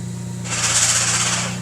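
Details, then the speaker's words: 2015 Ford Focus ST with a Getrag six-speed manual: a harsh grind as the clutch is let out in second gear, while first and third through sixth are fine. A synchro or gear fault is suspected. "Now, when you go to second, this is what happens when you let the clutch out. If you couldn't hear that, that is the gears"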